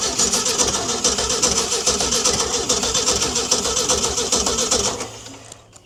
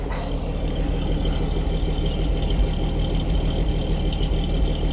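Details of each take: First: Ford D Series petrol fire truck started for the first time in 16 years, with upper cylinder lubricant added. It catches with uneven stumbling bursts, misfires, then dies after about five seconds; owner suspects a stuck valve, possibly flooding or lost spark. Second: Ford D Series petrol six-cylinder fire truck started after sitting for years: smooth, steady, deep even idle on all six, no ticking, no smoke or exhaust leaks; lifter noise had gone away.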